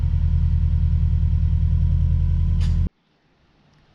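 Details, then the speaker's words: Project car with a very quiet aftermarket exhaust of unknown brand: an even, low, subdued burbling exhaust pulse holds steady before cutting off. The engine sounds healthy. "it already has an aftermarket exhaust I'm not sure what brand but it sounds pretty good it's definitely very quiet but not the end of the world"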